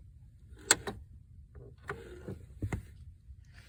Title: Clicking Sound Clutch- 1997 Saturn SC2